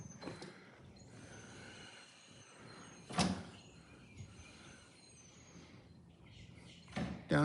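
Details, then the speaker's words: 2012 Lancair Legacy on jacks during condition-inspection gear swing: auxiliary dump valve opened to release pressure; quiet hiss, then sharp clunk and solid thump as gas struts drop and lock the gear. Emergency free-fall extension works normally. "I'm going to open the auxiliary dump valve just for the heck of it, just so I get one just to uh try the other one. That releases hydraulic pressure."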